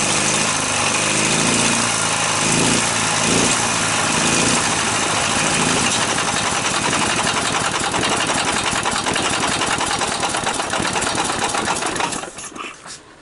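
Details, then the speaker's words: Briggs & Stratton opposed twin with dual carburetors and dual exhaust, chokes out: uneven lumpy firing about four beats a second with exhaust spitting back through the carburetor; weak or no spark, flywheel ignition problem suspected. "hear the exhaust coming up through the carburetor"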